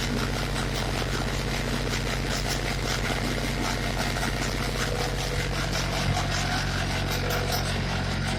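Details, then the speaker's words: Yanmar diesel generator with AFT 014 generator set on a 2004 Nor-E SCT-24 decontamination trailer, cranked after glow plug preheat and run a few minutes earlier: steady even low drone, no knocks or misses, starts right up and runs healthy. "And go ahead, the on switch, go ahead and crank it. Starts right up."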